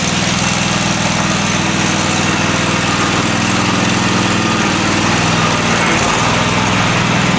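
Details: Free Craftsman riding mower with oil overfilled; small single-cylinder engine steady at idle with even unbroken beat, no knocks or misses; normal idle.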